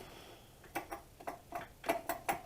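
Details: 2000 Ford F-150 4.2 V6 with a front knocking noise first blamed on the alternator: the idler pulley, hand-spun with the belt off, gives rough, uneven clicks and rattly ticks about three a second. Its bearing is worn out.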